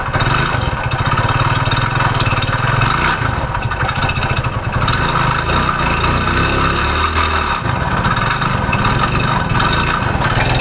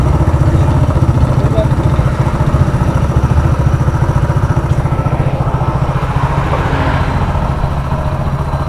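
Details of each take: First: Hero Splendor single-cylinder, before repair, that made a noise and stopped: dull, regular knock under the exhaust beat at every turn; mechanic suspects the crank, pointing to worn crank bearings. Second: Hero Splendor Plus single-cylinder after engine repair for crank noise: steady, even idle of about four beats a second with no knocking or rattle; the engine sounds healthy.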